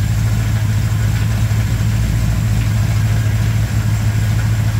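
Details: 1987 Chevrolet K10 squarebody 4x4, V8 warming up at idle on first start after head gasket replacement; steady, even low burble, smooth rhythm, no ticks or knocks. Normal idle.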